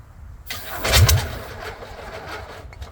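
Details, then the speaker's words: VW Beetle rat rod, first start after a long build: starter churns with a brief sputtering catch that fades. It is starved of fuel and fires only on spray, with only a weak carb squirt; owner considers refitting the electric fuel pump. "She just ain't getting gas. Watch, let me squirt it and it fires right up."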